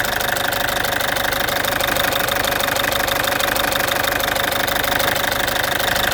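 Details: Citroen C5 2.0 HDi 100 kW diesel at idle: loud harsh running with a fast steady tick about three a second. Owner suspects the injectors area, unsure. Injectors, piston rings, valves and valve seals were redone 15,000 km earlier.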